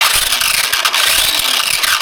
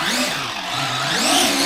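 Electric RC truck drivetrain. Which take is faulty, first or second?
first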